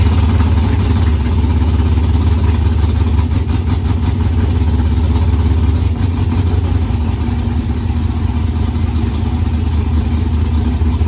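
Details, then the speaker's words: Pontiac Firebird project first running after quick temporary fuel-line setup: loud, lumpy idle with uneven, stumbling beat and sharp pops; runs rough and backfires a lot, still needs tuning. "the firebird runs it doesn't run great it was backfiring a lot but it runs nonetheless"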